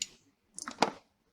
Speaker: guys if you heard that click that's the actual power supply clicking off and clicking on that's a never heard that before it's a the relay relay yeah